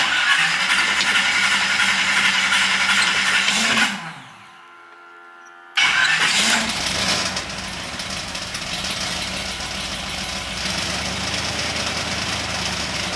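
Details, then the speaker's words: 1978 Chevy 305 small block after fresh blueprinted oil pump, pre-filled K&N filter and new pan gasket: cranks, stumbles and cuts out, then restarts to a steady even idle with no knocking, no leaks. "okay well I'm happy just did idle that's not bad"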